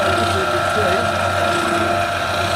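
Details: TK (Tokushu Kika Kogyo/Primix) 15-liter jacketed vacuum mixer/emulsifier with onboard vacuum pump and heated tank circulator, heard with sight glass cover pulled: steady even churning, constant high tone and low hum, no knocks or grinding; homogenizer and scraper agitator running smoothly together.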